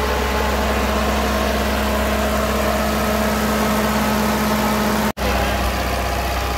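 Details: Ferguson TO20 tractor after gas tank and left front wheel bearing repair, started after checking fuel bowl and spark: steady even drone at part throttle, no misfires or knocks; running well.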